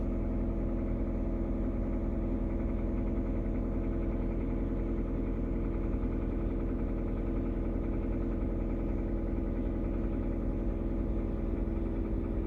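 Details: Kia Rio 3 at steady idle with a light, fast knocking of roughly two per second running through it, source not pinned down; engine knock.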